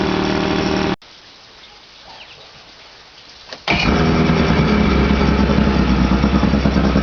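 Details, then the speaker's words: 1983 Mercury 50 hp Blue Band Thunderbolt Ignition outboard started with its rebuilt starter on its own weak battery: runs, cuts out for a few seconds, then picks up with a slightly uneven beat; rough running, not perfect. "here it is running fire it up with the old starter it's own battery no extra charge think we need a bit of a [Music] REV not perfect but there you"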